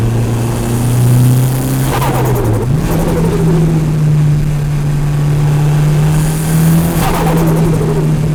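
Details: Mitsubishi Evo turbo recorded from an engine-bay recorder: revs rise and fall, and each lift-off brings a soft, muffled fluttering chatter of compressor surge, muffled by the stock airbox and intake pipe.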